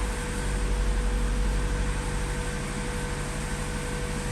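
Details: High-mileage 2000 Acura Integra GSR, B18C1 engine, just after compression test, fires right up: smooth even low hum with steady beat, no knocks or misses; distributor good, normal idle.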